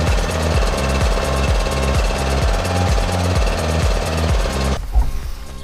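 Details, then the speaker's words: Briggs & Stratton 16 hp single-cylinder ride-on mower engine, first run after re-ringing and rebuild, valve clearances and ignition unchecked, carburettor not cleaned: steady, even thumping with no knocks or stumbles until shut-off; sounds healthy by ear. "mais visiblement à l'oreille tout va très bien, même le carburateur"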